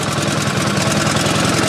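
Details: Pump engine on a 1989 Ford F-350 brush truck, started after priming the carburetor bulb and choking: small single putters at a quick, perfectly regular beat with no stumbles or knocks. Normal, healthy idle.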